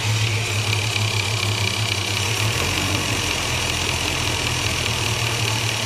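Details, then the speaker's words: Bus at idle: faint quick tapping over steady idle, seemingly from around the ignition coil; owner unsure whether electrical or mechanical. "there's a strange tapping noise under the B I don't know if that's electrical or mechanical"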